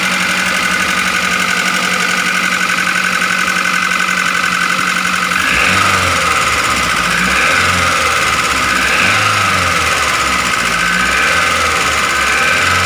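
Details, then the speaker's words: Daihatsu Gran Max 1.3 with abnormally rough engine noise: rough idle with fast uneven metallic ticking clatter about four a second; teardown planned to check piston, bearings or valves. "Hai demos Bro suara saat mesin hidup itu kasar seperti ini makanya kita akan membongkar untuk melihat apakah dari piston dari metal atau dari klep yang bunyi"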